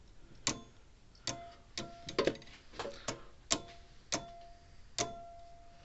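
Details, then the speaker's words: Old Sears mechanical electric fence charger after its contact points, probably dirty, were sanded: sharp clicks every half to one second with a faint crackle on some snaps as the points arc closing; the plate underneath is probably dirty too. "i can hear arcane down there every once in a while when it snaps against there"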